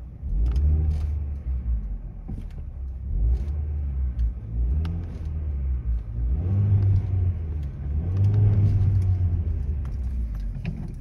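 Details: Hyundai Solaris fitted with a Kia Ceed GDI variable-geometry intake manifold, flap knock removed by software calibration, heard inside the cabin: deep, even rumble swelling and settling with light throttle, no flap flutter or rattle; engine runs normally.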